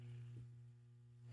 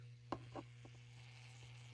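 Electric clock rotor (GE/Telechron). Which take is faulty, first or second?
second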